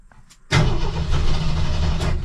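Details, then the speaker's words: 1984 Jeep CJ7 barn find on a YESPER jump starter, suspected flooded, breather cover removed; a fuel line leak was later found. After a quiet start, a deep uneven rumble catches briefly and sputters but does not settle into a run: sputtering while cranking. "pretty sure I flooded it I can smell gas oine all right after four tries trying cranking it is down to two bars"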